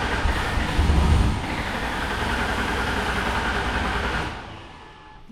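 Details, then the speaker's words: 2005 Ford Taurus wagon derby car: steady rapid cranking churn, about four beats a second, never catching, while puffing smoke; cranks but won't start, fuel pump believed dead. "It's puffing smoke like crazy. Yeah. Crank it. Yep, so Fuel pump is dead."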